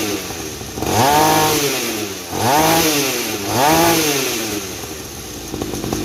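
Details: 50 cc two-stroke mini trail bike after silencer modification with extra holes wrapped in glass wool: three quick blips rising and falling cleanly, exhaust muted about 50%, engine and chain now heard clearly; running normally.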